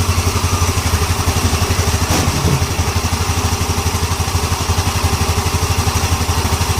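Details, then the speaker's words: Yamaha Ego LC scooter idling after replacing a worn loose part in the CVT: even pulse about four per second, CVT rattle gone, no clatter from belt drive; normal idle. "oke Jeng ah orang nampaklah sendiri dia punya bunyi sudah hilang tadi sebelum kita ganti benda ini memang cukup kuat supiyo longgar ya"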